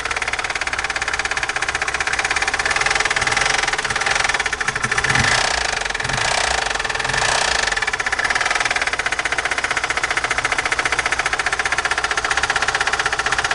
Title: ВАЗ 2109, сильный стук в двигателе!